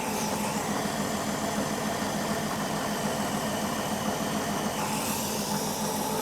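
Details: 1967 Mustang with a Holley Sniper 1100 EFI, earlier not running, being troubleshot: an even, settled idle with a steady hiss over a soft mid rumble and no misses or stumbles, so the engine is running healthily.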